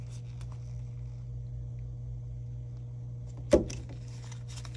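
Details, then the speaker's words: Vissani HVBC31ST beverage cooler not cooling: steady low hum, then a sharp click as the compressor overload resets. Power reaches the compressor but it won't start; the start device or compressor is suspected, and the start device was replaced. "all right so the overload kicked in so right now the wire should have power let's see what's going on here oh just kicked back on you heard"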